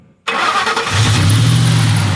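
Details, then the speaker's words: 2003 Ford F-150 with 4.6 V8 that would not crank, after bridging the two starter solenoid terminals: silence, then it turns over briefly, catches at once and settles into a steady, even rumble. Cranks and runs normally. "there you go. Cranks up and runs."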